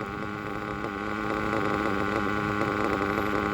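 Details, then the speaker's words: Gimar P5 nitro engine, broken in, in Hyper 7 buggy at about 71°F after initial tune: crisp, even buzzing idle with no surging or stumbling; not too lean, normal idle. "I am digging that uh that Idol is not upsetting me one bit"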